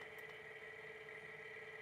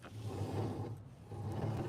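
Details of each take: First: Sole F85 treadmill incline motor raising the deck on command from the console, with its worm gear turning; a quiet, even electric hum at steady pitch with no knocks or grinding, so normal incline motor operation. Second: Sole F85 treadmill, drive belt removed so the motor is eliminated: hand-spinning the rear roller still gives a coarse, low rumbling growl that swells and fades with each spin, so the rear roller bearing is worn.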